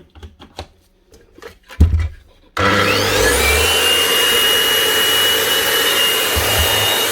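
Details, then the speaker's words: Makita GA9040S 2400 W angle grinder fitted with a Laserchaser twin-blade wall-chasing head, test run after replacing the grinder: it spins up to a steady, even high whine with no rattle or bearing grind; runs healthy. "That's her. Sounds good. I'll keep this man running."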